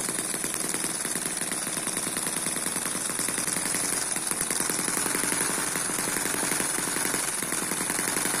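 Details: Eachine EM1 (same as M14) four-stroke opposed double-piston mini engine running at steady low speed, not intended for high speed. Fast, light, even sewing-machine buzz with no misses or knocks. Smooth normal running.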